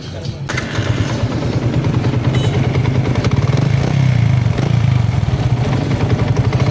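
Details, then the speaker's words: Yamaha Sniper 150 after clutch damper replaced with new oil: idle with fast steady clattering rattle from clutch-side engine case; balancer gear and damper still loose. "So dito nacheck ko kanina meron pa siyang ano sa kanyang balancer gear. So medyo maluwag yung sa gear niya at sa dumper. So ito yung ingay niya."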